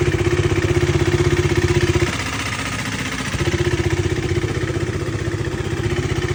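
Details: KTM Duke 390 single-cylinder engine with a steady rapid beat near four per second, dipping briefly then picking back up; an unidentified extra mechanical noise rides over it.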